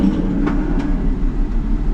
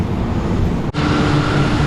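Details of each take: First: 2004 Ford Mustang with a one-piece coil assembly, running rough with the check engine light on after ball joint and front-end work: uneven, lumpy idle; power balance test shows cylinder 2 misfiring, suspected spark problem; misfire at idle. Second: 2004 Mustang at idle after new spark plugs and wires, fixing a rough-running misfire and check engine light: steady, even, smooth low rumble with no skips. Normal idle after repair.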